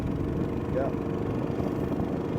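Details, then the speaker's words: Yamaha 90 HP outboard on the water during a sea trial: a steady mid-pitched drone under water and wind noise, uneven and lumpy, like it's running on 2 cylinders; carburetors to be checked. "So it's not sounding too good right now. Let's get it out a little bit and see what it sounds like. Whoever the gentleman was that said it sounds like it's running on 2 cylinders, that's what I'm hearing."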